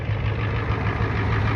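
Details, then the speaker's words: 1992 Ford F-250 IDI diesel, non-running flip truck: deep, steady throb with even beat, no misses or knocking, turbo whistle audible; normal idle. "Finally got the old girl started. I don't know if it's running better, but it is running. And you can hear the turbo wide, too."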